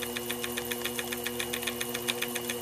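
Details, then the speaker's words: Sherline milling machine edge finder at slow spindle speed, approached slowly against a piston from an oscillating steam engine kit: steady spindle hum with sharp light clicks about eight per second as the flat tip clicks against the part, locating the edge. "there you I don't know if you hear the clicking all of a sudden that flat on the end is is clicking against the part"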